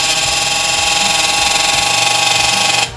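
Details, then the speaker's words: 1900 W Arno hair dryer running: loud, hissy whir with a fast rhythmic flutter from the fan blade rubbing its housing; sanding the part is planned as the fix. "olha ela tá roçando tá vendo tá roçando"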